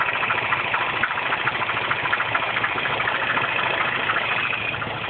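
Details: R56 Mini Cooper S at cold morning-start idle after a timing chain tension change: a fast, light, uneven ticking rattle about three to four per second. Engine noise when cold, source suspected but not confirmed.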